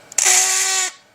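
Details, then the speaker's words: Corded power drill used for grinding on 1956 Ford Fairlane suspension parts: short harsh high-pitched whine with hollow buzz as it spins up and quits, then smoking; motor sounding unhealthy and failing. "I don't think it's supposed to sound like that dang it oh yeah it's smoking already that's not good"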